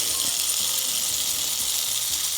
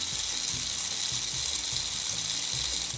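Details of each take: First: Marx tinplate toy train locomotive with gravity-dependent reversing (E-) unit, held upright: steady high motor buzz with light regular clicking; E-unit cycling normally. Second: Marx tinplate toy train locomotive from eBay lot, motor run on bench power: fast ratcheting tick about twice a second over a thin high whir; running rough, brushes suspected seized in their tunnels, not yet checked.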